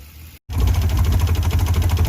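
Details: Ford Bronco II that sat for 5 years, first running on its own fuel after priming. Low, uneven, lumpy pulsing with no steady beat. The engine runs rough; the cause is not confirmed.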